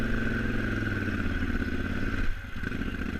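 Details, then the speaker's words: KTM 950 Adventure ridden on Taylor Park, Colorado trails with constant clutch slipping: uneven, lumpy twin beat that sags and wavers near stalling at low RPM, worsening through the ride and struggling to start; rough low-RPM running. "And you can hear the further into the video we get, the worse the come on, 950's baby. running, Stay alive. especially at low RPM, struggling to start."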